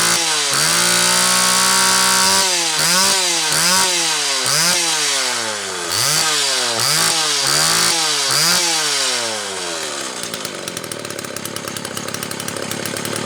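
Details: Homelite XL Automatic chainsaw after repair (fuel issue had forced full-choke running; new bar stud); repeated blips sweeping cleanly up and down, then steady high revs; normal running.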